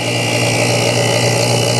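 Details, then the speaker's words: BoxMotor pulse motor after replacing a bad chip and testing each coil, now running on three coils: steady electrical hum with a bright ringing tone and no dropouts, the coils resonating normally as charge current climbs. "they resonate so when your coils are working you can hear them so that's running three coils"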